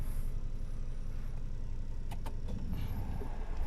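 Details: Hyundai Eon petrol engine just after in-tank fuel filter replacement, fuel pump primed before starting: low steady idle rumble with no misses, knocks or hunting; running smoothly.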